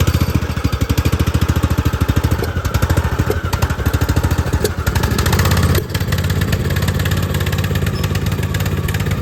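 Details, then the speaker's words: Poulan XT gear-drive 42in tractor mower, single-cylinder with a new Chinese carburetor. Thumping that pops and stumbles unevenly with surging speed; nasty misfire, a fouled spark plug hoped to be the cause. "all right y'all so we started the mower up and it ran and it had a nasty misfire you could hear it popping and surging"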